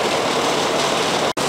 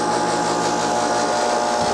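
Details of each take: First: Outdoor AC condenser unit whose fan had not turned and only hummed, suspected run capacitor, running after repair: steady, even rush of fan air over a smooth compressor hum with no buzzing or labouring; it runs normally. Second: AC outdoor condenser unit energised: steady electrical hum but compressor fan not spinning, like a stalled motor; run capacitor suspected, not confirmed.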